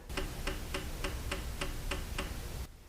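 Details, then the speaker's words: 2000 Trans Am, bank 2 injector #2, known good, used as the control in a scan-tool injector balance test while diagnosing a P0171 lean code. The injector primes, then fires with crisp, evenly spaced clicks over a low hum. Normal, healthy injector. "what it's going to do is you can hear it Prime so it primed and now it's going to fire the"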